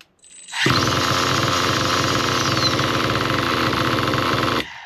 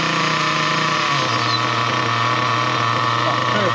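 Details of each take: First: Nitro RC car engine with the low-speed needle turned rich. A raspy, high-pitched buzz runs a few seconds as the rpm drops very low, then abruptly dies. Leaning the needle back clockwise restores good running. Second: Nitro RC car engine after tuning the low speed needle: steady, even high buzzing idle with constant pitch, no surging, sputtering or dying; pinch test raises rpm then shuts off at 4 seconds, mixture well set.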